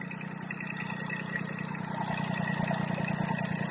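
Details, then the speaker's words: Westerbeke 21 marine diesel, first crank in a year after bleeding injectors, raw water drawn from a hose-fed bucket: steady even idle, thump about three times a second, cooling water splashing, water pump working; normal idle. "All right, hadn't been cranked in a year, so the pump's working, water pump's working."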